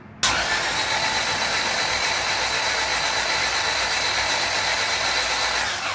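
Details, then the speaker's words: Newly built LS-VTEC turbo engine first turned over with spark plugs out to prime oil; fast, even starter whir, no firing, steady six seconds, oil pressure starting to rise, healthy. "everything's primed starting to get oil pressure so that's a good sign it's telling me all's going throughout the whole system"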